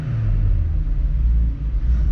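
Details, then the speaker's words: Rusty Saturn yellow VW Golf Mk3 headed for scrap, poorly maintained, just started after struggling: deep, lumpy idle surging and dipping, nearly stalling, dumping smoke; engine running rough, cause not identified. "oh she's rough and his dump and smoke good lord yeah this thing is not happy"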